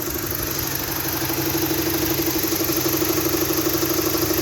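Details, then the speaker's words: BMW E90 320i, 230,000 km engine, idle after spark plug replacement cured the rough idle: fairly regular loud rattle about three per second over a smooth hum; stops when revved, owner suspects vacuum pump, knock doubted. "so still really loud but it's running it's 230 thousand kilometers on the actual engine itself it has got like a loud rattling noise though"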